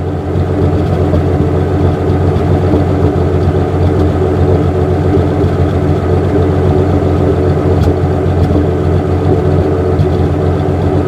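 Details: 1963 Ford F100 carbureted engine that kept dying, after timing, mixture and manual choke adjustment and a swap to a new plastic fuel filter: smooth, even idle with a steady low drone, no misses or knocks; normal idle.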